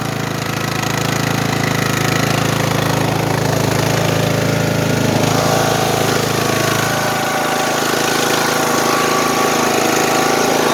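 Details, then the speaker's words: Old, neglected riding lawn mower over ten years old, idling roughly and smoking, with a faint regular knock about four a second and misfiring, which the owner blames on lack of oil; cause not confirmed. "so that just goes to show you what happens when you do not change your darn oil you'll get knocking in the engine which you could hear that a little bit of a knocking noise"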